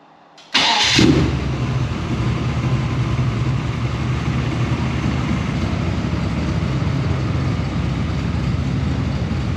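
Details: Holden LX Torana V8 barn find, already warmed up, tailpipes removed and exhaust temporarily dumped before the diff: quick crank and clean catch, then loud, steady, even V8 burble at idle, no misfire or knocking.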